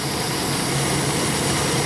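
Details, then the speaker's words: 2002 Chevrolet S10 4.3L with code P0138 stored, idling: a constant airy hiss over the steady idle from a vacuum leak, heard up close. Pinching the hoses showed the leak is on one particular hose. "being I can actually hear it now once you get down here. I don't know if you guys can hear that hissing."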